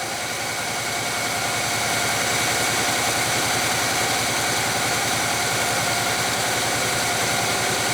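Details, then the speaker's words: Abandoned 1966 Chevy Biscayne, numbers-matching 396 big-block V8, first idle after revival on jump starter: steady but uneven lumpy beat with one cylinder dead, no smoke; dead cylinder misfire, owner mentions possible stuck rings. "hi golly that's pretty good not quite the way it's supposed to sound but with that dead cylinder a little bit dead in one cylinder no smoke"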